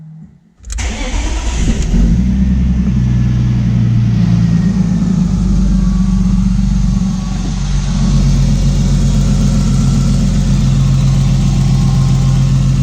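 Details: Engine catches and settles to a steady idle with a light tick of roughly four per second; ticking noise at idle. Owner, listening with a screwdriver, suspects the fuel pressure regulator, with the tick resonating along the injector rail; not confirmed.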